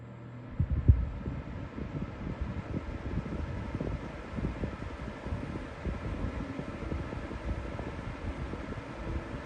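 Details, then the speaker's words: Week-old Lasko 3733 black box fan, grille back on, after balancing attempt, tested on low: low uneven rumble with loose, irregular thumps; still badly out of balance, no better than before. "all right so ultimately I kind of finished where I started I just can't seem to get this thing in Balance"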